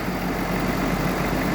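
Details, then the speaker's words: 2014 Ford F550 6.7 Power Stroke diesel at idle after replacing the fan clutch, which had been grinding: steady, even low hum with no grinding or scraping from the fan area. Sounds healthy; normal idle. "Now I'll try to crank it up and see what happens. Alright, no more grinding. We'll see how it does on a test drive later on."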